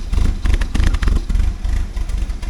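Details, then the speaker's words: 1979 Porsche 924, K-Jetronic fuel injection, just started cold: lumpy, uneven low idle with irregular stumbles, burning very rich because the warm-up regulator misreads temperature; smooths out once warm; new WUR spring on hand, rough cold idle running rich. "And this Porsche just started right up like a brand new car, but you hear it running really rough, eh? And that's what I'm going to try and solve again, because I've got the spring for the warm-up regulator. You can see that thing's burning very rich,"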